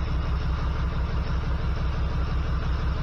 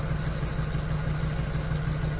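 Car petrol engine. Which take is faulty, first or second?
first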